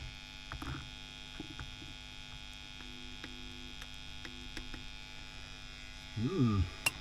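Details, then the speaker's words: WEM Power Musette Mk 2 valve amp on the bench; steady low mains hum with no rhythm or change; inputs grounded and valves swapped without cure, so not the inputs or valves; source still to be tracked down. "so the inputs are grounding it's just a very noisy noisy amp so it's not coming from the inputs"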